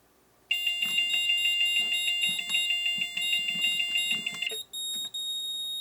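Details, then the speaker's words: Moose Z1100e security system demo, panic key alarm from the siren driver; shrill electronic tones warble about three times a second, then settle into a steadier pattern, like old six-tone car alarms. "so that's the different sounds that the siren driver can make as you can hear it sounds like those old car alarms that did the six tones and kind of switch between the different tones"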